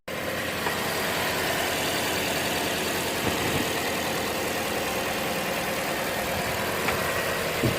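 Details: 2014 Chevy Sonic 1.8L non-turbo at 84,000 miles, after replacing the valve cover with its integrated PCV valve: check engine light went off and the engine gives a smooth, even idle with no ticking, misses or hiss; normal idle.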